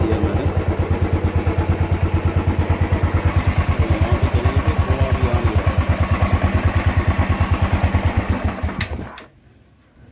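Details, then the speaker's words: Royal Enfield Thunderbird Twinspark that raced to 5000 rpm with smoke after sitting 10 days, now with the filter box reopened and refitted: ignition on, no throttle, an even steady thump at about three beats a second, then switched off. Normal idle. "Ignition switch on कर दिया मैंने और मैं accelerator नहीं दे रहा हूं अभी ये प्रॉपर ये चल रही है"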